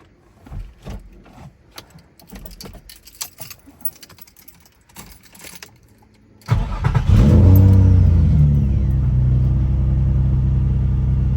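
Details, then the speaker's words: Nissan G35 VQ petrol V6 after replacing a part on all six cylinders to fix a misfire: cranks, catches with a brief rev, then settles into a steady, smooth idle with no stumble. "Oh, yeah. That immediately sounds way better. Sounds way smoother."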